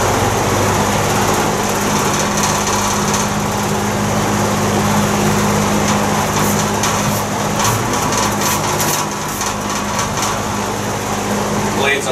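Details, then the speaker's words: Vintage GE box fan running on high after fitting new homemade rubber grommets: steady airy whoosh with low hum and faint uneven wobble; owner suspects a blade out of balance or blades out of clock, not confirmed. "fan aren't quite in perfect balance. I'll have to look into that. Oh, I think I might see the problem blade. There's also a chance that the blades are out of clock too."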